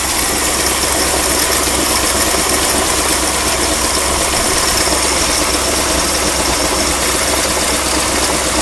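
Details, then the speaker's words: 1959 Mercury Monterey that sat for a decade, idling with no smoke. A harsh, hissy puffing and a little squeak come from the exhaust, loud in the upper range; an exhaust leak, with the exhaust hanger not yet fitted. "you hear that little squeak from the exhaust most of this noise you hear is from this exhaust"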